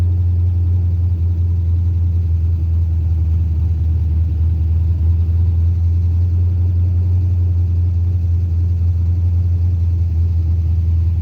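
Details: Carbureted 5.3 LS swap in a Mustang with MSD ignition, which starts and dies: steady low drone at an even, high idle with no dip or hunt; idling too fast, owner unsure whether carburetor, timing or vacuum leak.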